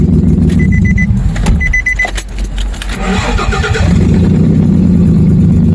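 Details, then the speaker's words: Nissan Xterra after no-spark crank-no-start repair (ECM reinstalled, camshaft sensor replaced, no cam sensor code): brief crank, engine catches immediately and settles to a steady low idle with no stumble; healthy quick start. "We are good to go. The vehicle starts up right away."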